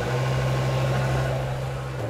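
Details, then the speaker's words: BMW E60 M5 S85 V10 just reassembled and refilled with coolant, idling during the scan-tool VANOS bleed procedure: deep steady hum with a slight tone shift near the end; normal running while VANOS bleeds. "you can hear though it's bleeding still and that's the noise it will make it's perfectly normal as it bleeds all the vanilla systems"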